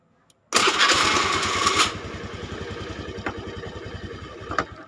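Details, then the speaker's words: Honda Scoopy carburettor scooter, electric starter that only clicked, fixed by disassembling, cleaning and greasing the starter motor without new parts: one press gives brief whirring crank and immediate start into a steady, even putter; normal cranking. "atau tinggal pencet langsung hidup dan langsung jalan dan hanya itu Masalahnya"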